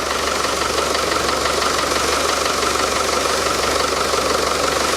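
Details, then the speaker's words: Land Rover Defender 110 diesel after front crankshaft oil seal work: even, steady diesel clatter at idle with no bearing whine or grumble from the front; quieter than before, idling normally. "let's fire it up see if it sounds any quieter or whether it just blows up it hasn't blown up yet so we're all good well it sounds quieter"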